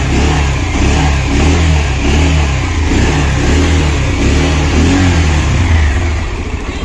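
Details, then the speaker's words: Bajaj Pulsar BS6 single after engine repair (engine lowered about an inch to work on it; previously a "khatam khatam" knock): revs climb and drop smoothly through throttle blips with no rattle or knock; repair successful, engine healthy. "देखिए sound सु सु सु कर रहा है सु sound बिल्कुल success है दोस्तों"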